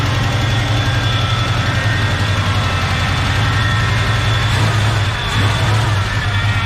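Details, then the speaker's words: 1970 Chevrolet K10 with a 396 big block from a 1971 Chevelle, first start after fuel tank cleaned (bad gas still in line), good oil pressure; lumpy idle with a light tick, owner unsure if exhaust leak or lifter: ticking at idle. "we got good oil pressure i can't tell if that ticking noise is an exhaust leak or about liquor"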